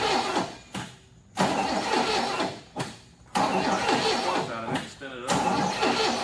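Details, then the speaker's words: 1981 Cutlass Supreme, original 260 V8, 42,000 miles, sat 30 years, premixed gas poured into the carburetor: repeated uneven, lopsided cranking that never fires. It seems to have compression but probably uneven; owner suspects a stuck valve or lifter. "sounds like it's even got compression [Music] all right what we're gonna do sounds like probably has a stuck valve or a stuck lifter of some kind to me because i hear that and it goes kind of quick so it's probably not got even compression right now"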